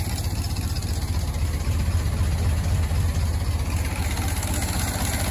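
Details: Barn-find Ford Model T farm truck, left for years in a dusty tool shed, at its first start after a few simple repairs: deep, even thudding idle at about four beats a second, steady with no knocks or misses; runs healthy.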